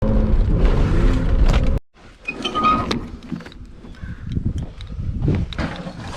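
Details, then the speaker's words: Nissan 300ZX on start-up; heavy low grinding while cranking for almost two seconds before it catches, present since purchase despite the starter being replaced about four times; owner suspects the flywheel, unconfirmed. "well you guys heard that grinding sound I don't know what's up with the say ever since I got this car it's made that sound I replaced the starter like four times down so oh no it must be the flywheel or something"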